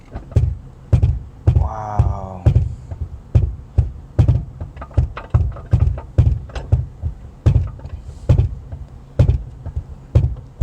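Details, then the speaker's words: Lincoln MKZ driving: deep rhythmic thumping about twice a second under the car that suddenly got worse, likely a bad drive shaft support bearing. "sounds like a bad a support bearing for the drive shaft okay that sounds bad"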